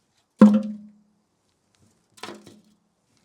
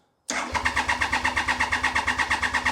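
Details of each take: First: 1993 Triumph Trident 900 fuel tank, empty after the bike sat five years, rocked by hand: three separate clunks with a short metallic roll; something loose and unattached is rattling inside the tank. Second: 1993 Triumph Trident 900 after sitting 5 years, cranked without fuel to pump oil around. Quick, even cranking at about seven pulses a second, crisp and unflagging. The starter and battery are healthy.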